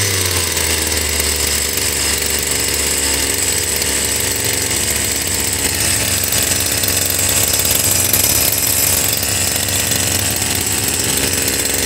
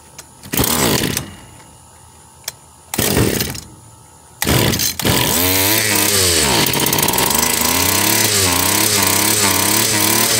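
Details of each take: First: Stihl FS76 two-stroke brush cutter over 20 years old, brought in not starting, compression good, cylinder checked with muffler off: high buzzy note holds steady and revs cleanly without sputtering; carburetor sounds decent for now. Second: Stihl FS 76 brushcutter, probably over 20 years old: three pulls, then catches with a high buzz rising and falling unevenly; carburetor barely moving fuel, sounds decent now but may fail cold, suspected worn.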